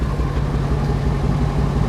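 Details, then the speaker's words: 2001 Ford F250 5.4 V8 plow truck idling with an uneven, stumbling beat and pops; bad misfire on cylinder 5 (P0305), spark plug already changed, ignition coil to be replaced. "I've got this 2001 F250 5.4 that has a pretty bad miss. You could hear it. She's not running very happy. You can hear her popping off."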